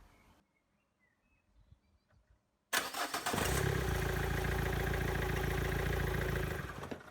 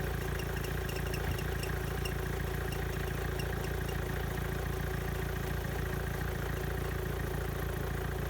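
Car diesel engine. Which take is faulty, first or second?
first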